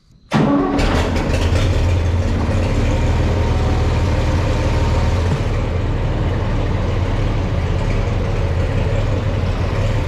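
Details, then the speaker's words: Farmall 460 tractor, rebuilt engine, old ignition before electronic ignition upgrade, newer rotor swapped back in: fires up into a loud, uneven, lumpy idle that sags as if about to die; not running right, too poorly to move. "Right off the bat, you can tell it's not running right and she's going to die."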